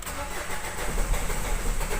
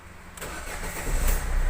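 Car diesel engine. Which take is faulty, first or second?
first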